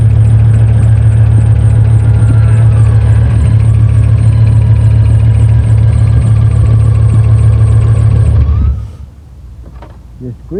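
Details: V8 from an LS swap in an old work truck, idling at first start after swapping an intake that had a large hole with a sensor missing: heavy idle, faint chirping squeal and light steady tick until shutoff. Squeak is definitely the belt; massive air leak found.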